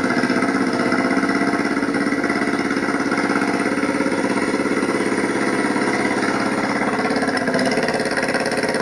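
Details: Yamaha motorcycle running 100% on propane fed from a stove regulator into the carburetor idle air inlet, fuel line disconnected: steady even quick exhaust pulse at idle, no stumbling.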